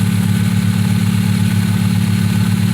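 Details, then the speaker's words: 2001 Hyundai Tiburon at idle after fitting an OBX exhaust with catalytic converters cut off, O2 sensors not yet connected, radiator not yet installed: low, even rumble with a soft, muted exhaust note, no rasp or ticking; very quiet, healthy idle. "oh this thing's quiet really quiet"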